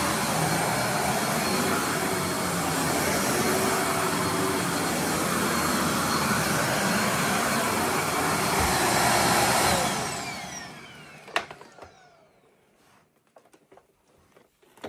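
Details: Riccar R25 vacuum running after the broken power cord was replaced. An even, steady whooshing roar for about ten seconds, then it switches off and spins down: the motor runs healthy.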